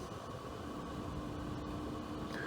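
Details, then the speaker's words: Parasitic drain test on a car needing repeated jump starts, key on with blower motor running and climate control off: faint steady low-speed fan whir and thin hum; battery falling from about 11.9 to 11.48 volts over 30 minutes. "Got everything on. The blower motor is on. Climate control is off. Blower motor is on."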